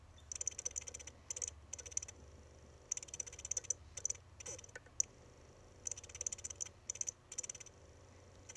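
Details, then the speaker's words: Dying hard drive from a Mac mini: bursts of high chirping with sharp ticks and thumps, stopping and restarting every second or so. The thumping is believed to be the read head slamming against the park stop; the chirping is possibly from the platter or head. "one of them is kind of like a thumping sound and that sound i'm pretty sure is the sound of the read head being forcibly slammed against the park position stop"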